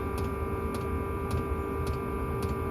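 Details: Chinese Webasto-style diesel air heater powered from an EcoFlow, turned up to full output and drawing about 7–8 W: crisp, even dosing-pump ticks about twice a second over a steady fan hum; normal dosing pump ticking.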